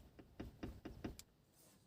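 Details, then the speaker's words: Car rocked by hand with rear trim removed, after a year of knocking from the rear arch: five sharp hollow knocks about a quarter second apart; loose, under-tightened bolt on the rear strut top mount. "так вот я дергаю машину и вот этот вот этот болтик блин не докручены там болтается собака"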